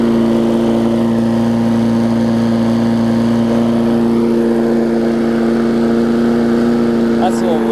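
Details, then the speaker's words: Craftsman 22-inch big wheel push mower, Briggs classic engine, 2008, after safety cable fix and carb linkage adjustment: steady high-pitched even drone, no dip or hunting, running a little fast; owner thinks the spring is just warm. "as much gas, but cranked up, running pretty good. Might run a little fast,"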